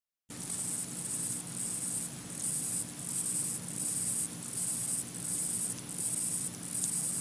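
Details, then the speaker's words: Faint steady hiss with a high fizzing pulse about once a second from an iPhone (4s, 5, 6 or 6s) recorded in a quiet room, volume boosted; all these phones make this normal electronic processor hiss. "If you're really interested in this, and you do have an iPhone, I suggest you go into a quiet room and actually listen for yourself, cuz as you can see from this test, all the phones make the sound"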